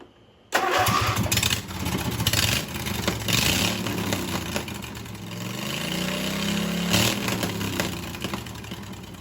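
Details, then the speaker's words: Husqvarna hydrostatic mower with a single-cylinder engine and open exhaust; it fires instantly, loud and raspy, then holds a smooth, steady idle. It starts and runs well. "I mean like it is right now it runs great starts good sounds good"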